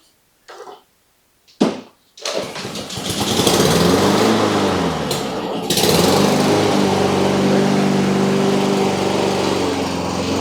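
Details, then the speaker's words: Honda GCV160 engine on a Cub Cadet push mower that wouldn't start: after a carburetor clean and reassembly, with the motor turning freely, it starts after a couple of easy pull-cord tugs and settles into a steady, even run; normal running. "That was a pretty easy crank, so that's good news. So I guess it was just a little bit of the carb clean on this little thing."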